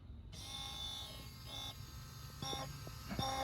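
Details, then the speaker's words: 1977 Datsun 280Z barn find, sitting for 16 years, fuel pump tested with the key on before fitting the fuel line, fuel filters fitted: steady electric buzz with thin high whine for a few seconds; pump sucking, priming normally. "yeah it's sucking all right"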